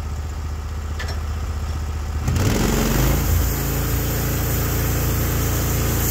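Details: Norwood HD36v2 bandsaw mill, day two testing new roller guides (ceramics replaced), slabbing big black oak through bark, about 24 inches wide: engine note drops and thickens as blade takes cut, then holds steady without bogging; effortless flat cut, normal load.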